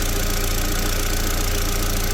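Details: 2001 VW Beetle 1.8T with code P0322 and intermittent hard starting, after removing and cleaning the sensor: even, steady idle with a smooth regular pulse and no stumble; the fault is not showing now.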